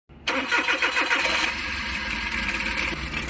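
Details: Engine with low fuel pressure idling rough, shaking as if convulsing despite new ignition coils, TPS and MAP sensor: cranks, catches and settles into an uneven, lumpy idle, running rough from starved fuel pressure.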